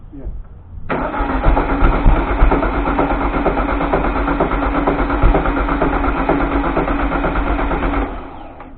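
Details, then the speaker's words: 1973 VW Thing (1600cc) restoration, first start attempt; starter spins engine with steady even compression beats for about seven seconds, never fires; cranks without starting, owner suspects fuel problem, not confirmed. "I don't know if we're getting much feel. Do it? Yeah. I think it's a fuel problem, you know?"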